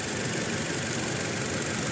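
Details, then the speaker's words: Toyota Innova petrol revving with uneven, rough misfire under a hiss, no check engine light or stored codes; ignition voltage test shows cylinder two coil voltage jumping. "Hello friends यह Innova petrol यह इसमें problem य आ रही है कि इसमें miss firing हो रही है यह पूरी मैं रेस कर मिस फायरिंग हो रही है"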